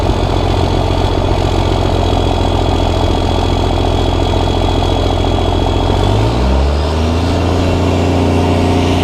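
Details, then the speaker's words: Cummins diesel truck, first start after upgrades incl. new injectors, hot-rod VP44 pump, Banks intake elbow: steady even clatter at idle, then smooth pitch rise on throttle; sounds good, slight black smoke. "all right so it sounds really good and I don't know if youall guys can see I haven't watched this video yet but I could see a little bit of black smoke coming out of the tailpipe"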